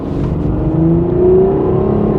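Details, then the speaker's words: 1988 Chevy Cavalier Z24 accelerating after a turnaround, low on fuel, up to 70 mph: engine note climbs smoothly then steps cleanly into the next gear without slurring or flaring; shifts like butter, healthy. "oh yeah not bad not bad at all there's 70 it shifts like butter"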